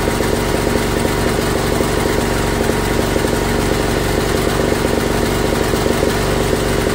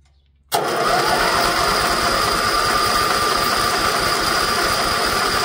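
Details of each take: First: Old Briggs & Stratton auction generator, run on gas with electric start, first run in years after purging regulator: small single at steady, even beat, no misfires or surging; engine runs healthy but no power output, bare wire found. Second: Old Briggs & Stratton gas-fuelled generator, electric start, first run in years, choke on: starter spins steadily about four beats a second but never fires; no gas getting through until regulator purge valve used, then it started.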